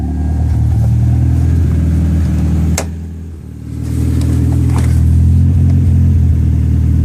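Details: Toyota ST205 engine: heavy drone that breaks up, dips and stumbles mid-rev, with a sharp pop as it falls away; misfire.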